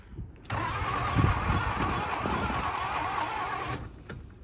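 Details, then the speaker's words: 1980 Pontiac Firebird, 301 V8, sat 17 years: about three seconds of steady cranking with occasional uneven catches that never take; dirty plug, firing order found reversed, spark plug wires suspected, new HEI wires planned. Cranks, no start. "I can hear it [Applause] trying to fire we might end up having to go into town and grab some wires"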